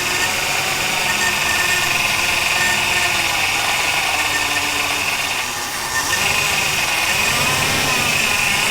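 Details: 1971 Ford F100 V8 barn find after long storage, float bowl primed with fuel: catches and keeps running, busy uneven clatter around three to four beats a second, no misfire gaps; engine running after first start.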